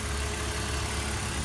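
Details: 2004 BMW Z4, all-aluminum engine, after replacing electronically controlled thermostat for high-resistance thermostat code: warm at 208 with fan cycling, steady low even idle hum with faint constant tone, no knocks or rattles; normal idle.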